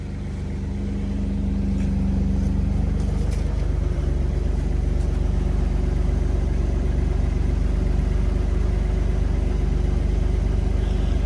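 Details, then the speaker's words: 1981 Chevy C10 square-body ranch truck idling after new spark plugs replaced old AC Delco plugs (one wet): steady, even idle with smooth low rumble, no misses, higher and cleaner than before. "It's definitely idling a lot cleaner than before."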